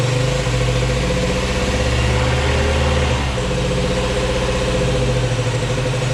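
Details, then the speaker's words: Yamaha Grizzly 80 ATV single-cylinder before rebuild, airbox off: idle wanders, dipping and climbing by itself without throttle; carb runs too lean and revs out despite tuning; idle surge from faulty carburetor. "And no matter what I do, I get it to run great on an idle, and then as it's sitting there, it just starts to rev out."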